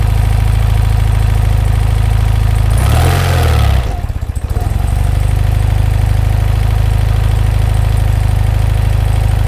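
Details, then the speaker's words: 1983 BMW R100RS flat-twin, converted to RT after full rebuild with crank out: engine start with brief rev blip, settling into low even steady idle, no knocking or rattle; normal healthy idle. "Well, we'll do an engine start here so you can hear it running."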